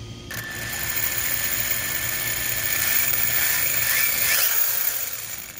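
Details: Castle Mamba Monster XL2 ESC after repair, its blown external capacitors replaced with identical Panasonic 680µF and 560µF 35V units: high smooth whirring whine rising and falling with light throttle, no stutter or cogging; ESC working, running very hot.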